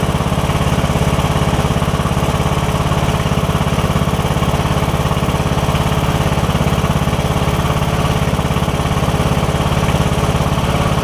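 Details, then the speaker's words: Briggs & Stratton single-cylinder OHV riding mower engine, previously hard to turn over, running after the camshaft compression release was replaced; a steady, even thump with no knocks or stumbles: normal running. "all right that sounds good we're going for about a minute now do a thing for a minute and then we'll put everything else back together"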